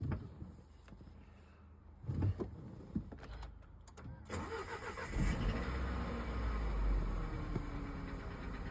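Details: Nissan Qashqai engine cranks and catches after about four seconds, then runs with an uneven, faint tapping under the rev; the cause is not pinned down. Engine knock.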